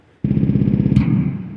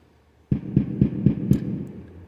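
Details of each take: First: DIY synthesizer drum circuit (LMNC simple oscillator, mini mixer): low buzzing synth tone with sharp bright pop when the mute button is released, not when pressed. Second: DIY synthesizer drum circuit based on a simple oscillator, with switches now acting as mutes so the oscillator keeps running; after half a second of silence, a low tone pulsing about four times a second fades in cleanly without a pop.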